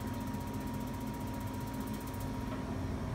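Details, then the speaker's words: New Reznor UDAP45 heater after the igniter rod was repositioned, gap 1/8 inch. Fast steady igniter ticking over fan hum, then a soft rush as the burner lights about 4 seconds after gas on, consistently; ignition normal. "it fires now consistently after about 4 seconds when the gas has turned on and it's clicking with the igniter going so I think or I hope it's good to go"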